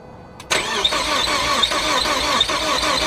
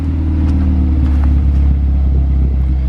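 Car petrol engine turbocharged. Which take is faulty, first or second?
first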